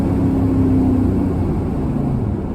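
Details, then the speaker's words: 1981 Holden WB one-tonner, first drive after a brake booster replacement, window down on a back road: a smooth, clean pull under throttle over road and wind noise, no knocks or misfires; normal acceleration. "she's only a little d3 but it does sound good when you open it up"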